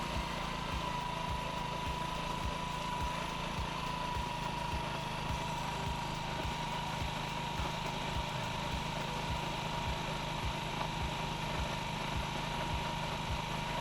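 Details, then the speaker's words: Honda Ruckus single-cylinder scooter after a fuel line replacement and carburetor swap: a quick, steady fast idle on cold start that begins easing off as it warms. "but what I need to do is warm this guy up and see how it does after the idle comes down"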